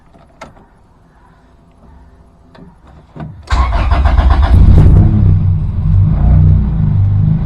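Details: Track Honda Integra just after an Innovative oil pressure/oil temperature gauge install, already run a couple of minutes for a leak check. A few quiet clicks, then it fires right up and settles into a smooth, steady idle; a healthy start.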